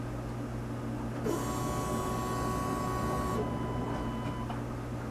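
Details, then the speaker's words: 1997 Chevy Astro van with crank-no-start: at key-on a thin steady whine lasts about two seconds over a low hum. Normal fuel pump priming; pump gets power and runs, so fuel level is checked next. "Alright, hopefully you'll hear when I turn this key, you will hear a whining noise of the pump coming on here."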